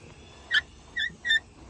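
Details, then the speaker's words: 2004 Chevy Silverado extended cab work truck seatbelt: short high-pitched squeal chirps as the belt moves; cause not confirmed. "very annoying got that high pitch squeal"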